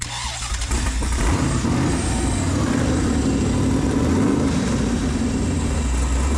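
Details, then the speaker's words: Sandrail V8 after engine swap, running after crossed wires were corrected, untuned and not yet heat cycled; fires up and lopes unevenly at idle without settling, rough from a major vacuum leak. "Oh, we've got a major vacuum leak, too."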